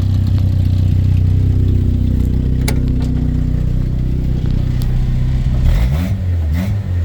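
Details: 1979 SR5 at idle: a low, uneven idle with a raspy puffing edge that rises into a brief rev, from an exhaust leak.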